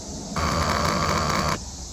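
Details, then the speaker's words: 1995 Honda Shadow VLX 600 VT600CD fuel pump powered directly from a test box: steady electric buzz starts abruptly, holds an even tone about a second, cuts off cleanly; pump works, so owner suspects a bad fuel pump relay. "You hear that? The pump is working. So that tells me the pump is working."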